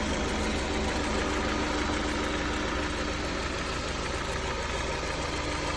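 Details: Honda S2000 at idle with the hood open: a light, fairly even top-end rattle about three times a second over the engine hum; owner suspects TCT rattle or piston slap, unconfirmed.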